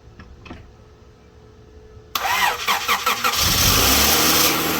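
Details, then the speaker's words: Honda Accord CB7 test car, just acquired, with stored fault codes: brief crank, then ragged, uneven, sputtering run settling toward idle, seems okay when revved. Rough start and idle; cause not yet found. "Yeah. That sounded terrible. But hey, it runs. Rev it up a little bit. Yeah. Seems to run okay."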